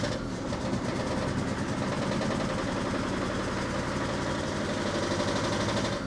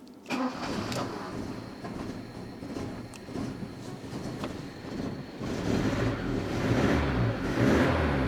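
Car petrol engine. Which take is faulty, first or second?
first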